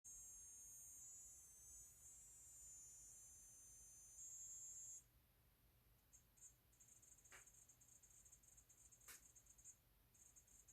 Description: Recently noticed a strange noise that sounds kind of like a high pitched Geiger counter coming from the back of my LG Chem RESU10H battery.